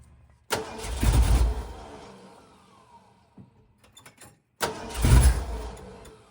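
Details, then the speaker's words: 1979 Ford Bronco after sitting long, fuel line blown clear: two bursts of starter cranking with no catch; no gas reaching the filter housing, crank no start from no fuel delivery. "I'm going to crank it some more see if I can get fuel up here at the F it's not bringing any gas up into that filter housing"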